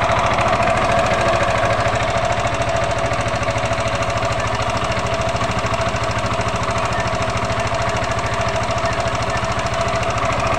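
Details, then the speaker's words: Yamaha NMAX scooter engine running with a fast, steady clatter from valve clearance set too loose and a harsh rattle from a slack V-belt, caused by a worn roller housing and roller fan; earlier blamed on the connecting rod. "Ini mengalami problem atau trouble suara kemelitik dan geladak-geladak ya, krok seperti stang seker yang kena ya."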